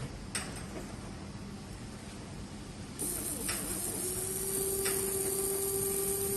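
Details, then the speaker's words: Small metal-gear motor on bench supply switched to 12 V; quiet hiss then a jump to a steady even mid-pitched whine, spinning very fast and clean; normal running. "这个转速很快，转速很快。"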